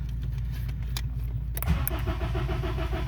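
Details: 2005 Honda Accord cranks steadily at about four beats a second but never fires: no spark, caused by loose terminals at the ignition coil relay; runs when relay pressed down.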